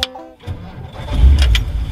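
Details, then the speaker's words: 1955 Ford, warmed up, engine switched off and recranked to check ignition timing: a brief, brisk crank with no drag, then it catches and settles to a low rumble, so timing is not over-advanced. Normal quick cranking. "That was a pretty quick crank. Now that's how I time a car."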